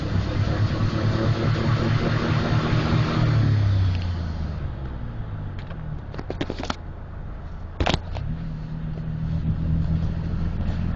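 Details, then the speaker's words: 1997 Dodge Ram 1500 3.9 V6, 200K+ miles, full throttle then off while cruising, shifting into fifth at 50; uneven stumbling rumble under load; check engine P0303 cylinder 3 misfire, also P0300/P0302; owner suspects fuel pump/filter or injectors. "Yes, I do realize it says check engine and it's PO303. Cylinder number 3 misfire, I understand it. I just wanted to demonstrate what it sounds like."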